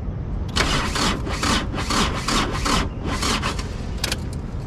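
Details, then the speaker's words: Pajero motorhome with a weak battery at about 11.2–12 V: labored, uneven starter churn about twice a second, engine never catching; battery too weak to crank, may need rescue. "vai virar não vai virar ainda vou ficar sem geladeira ainda vai virar não tem força só tá em 12 lá atrás"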